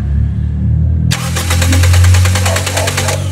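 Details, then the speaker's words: Toyota Vios Gen 2 with low power on expressway, now won't start, fuel line checked while cranking: hum then even starter cranking that never fires; no fuel delivered, fuel pump suspected failed, replaced. "So yun Walang lumabas possible na yan na ano na fuel pump"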